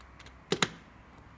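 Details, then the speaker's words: Analogue Fisher & Paykel, Simpson or Westinghouse oven clock: two quick, crisp clicks as the knob is pushed and turned, clicking the timer back into manual mode so the auto start time matches the current hour. "and that's clicking it back into manual mode"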